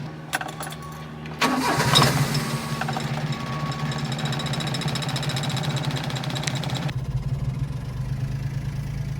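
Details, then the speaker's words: Kei mini truck after sitting overnight, cold start, with ongoing excessive-crank rough-start problem after carburetor solenoid testing: starter churns about a second before catching, then slightly uneven, lumpy idle; took two cranks, hard starting persists. "all right so that took two cranks to come on so I guess a slight Improvement but still it's not starting up you know firing right away"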